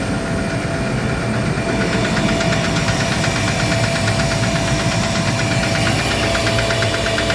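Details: Gardner Denver screw air compressor on load, steady drone with fast, even knocking, before repair; knocking caused by a defective pressure valve, fixed by replacing the valve.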